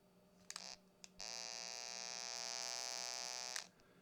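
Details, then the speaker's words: Original first-gen Tidradio TD-H8 handheld radio, microphone close: pressing push-to-talk gives a couple of sharp clicks then a steady high-pitched buzz held while keyed, noise that is transmitted over the air; transmit fault. "get that noise, and that noise goes out through over the air."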